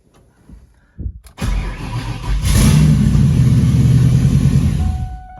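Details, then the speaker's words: 99-04 Ford Mustang GT: short crank, then it catches at once and settles into a steady, even idle. It starts right up after the blown 30 amp PCM fuse is replaced; an exposed radio interference capacitor connection had shorted. "the car starts right up"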